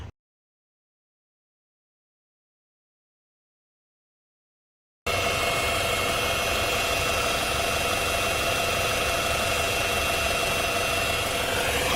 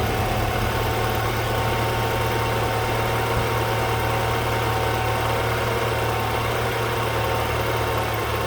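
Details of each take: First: BMW N20/N26 engine, owner suspects the throttle body: with ignition on, a steady high-pitched whir holds over the engine noise and rises a little near the end; throttle body motor likely source. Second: BMW N20/N26 four-cylinder idling after a throttle body replacement, done to cure a noise the owner suspected came from the old throttle body: smooth, steady idle with an even low hum, no ticks, knocks or hunting; running healthy.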